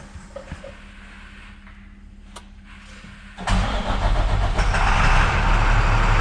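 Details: International 7400 truck with DT466 diesel after repairing accelerator clutch switch that caused no-crank: starter cranks steadily about four beats a second, then engine fires and settles into strong even idle; normal crank and start.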